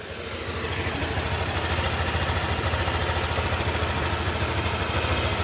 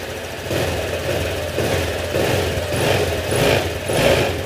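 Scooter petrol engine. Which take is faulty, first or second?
second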